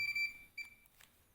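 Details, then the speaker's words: Fluke 287 multimeter in diode mode: short high-pitched beep then a brief repeat, indicating a shorted reading unless the part is a horizontal transistor. Diode-mode beep indicating shorted component. "Jika terdengar bunyi bip, itu berarti sudah dibaca. Namun jika bunyinya seperti ini, berarti ukurannya pendek, kecuali jika itu adalah transistor horizontal."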